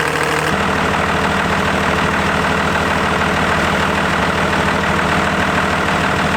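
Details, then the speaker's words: Diesel truck with newly installed compound turbos, restarted after tightening an oil leak and a fresh oil change, idling to circulate oil; loud, even clatter about two beats a second, no misses or hunting. Normal idle. "I mean right there it started up perfectly normal I'm just going to look for that oil leak again"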